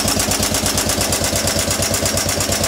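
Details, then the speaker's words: Western Electric 15B light plant engine idling with no load, before a 25 A resistive load test; even, steady chuffing about eight beats a second with light ticking on top; normal no-load idle. "so this is just a no load um running it idle basically"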